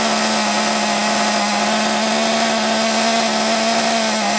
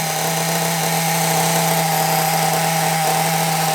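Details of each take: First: Small nitro RC engine, possibly not yet run in, run off a stand because the flywheel hit it; high buzzy two-stroke scream with faint waver, won't settle to a clean low tick-over; rough low-rpm running, cause unknown. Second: Small nitro RC engine, carburettor suspected as the earlier problem and a known-good carb to be tried later; steady high-pitched buzz holding one pitch without surging or dropout, tick-over slightly high; clean normal idle.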